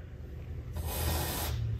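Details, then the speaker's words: Air blown through an Austin-Healey Sprite fuel line after cutting out its clogged rear section: two steady, unbroken airy hisses heard at the front, so the line is now clear and usable. "i can hear it blowing out in the front now we have a good usable fuel line here"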